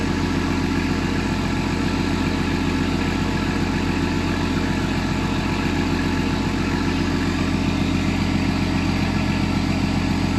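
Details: Newly wired RB20DET straight-six in a Datsun 240Z at its first start this year: an even, firm idle pulsing about four beats a second with a smooth low drone and no knocks or misses.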